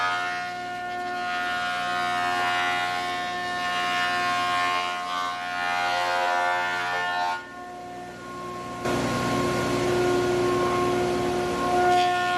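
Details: Large used planer feeding dry English walnut, dust extraction not yet connected: steady high cutterhead whine that roughens and gets louder as the board feeds through, then runs evenly; healthy.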